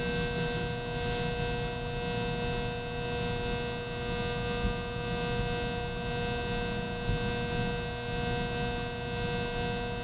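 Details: Ceiling fan: steady, loud electrical hum with a strong fixed tone and faint slow pulsing; the motor is humming abnormally, cause unknown.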